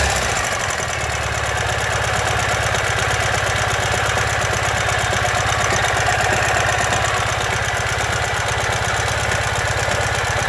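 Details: 2015 Ural Ranger: hard, regular knock about three per second over the idle, never letting up; caused by collapsed front crankshaft main bearing.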